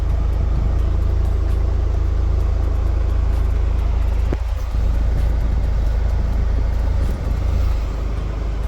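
Even, steady low idle rumble with a brief dip around four seconds as the AC compressor engages; engine settles back smoothly, sounding healthy.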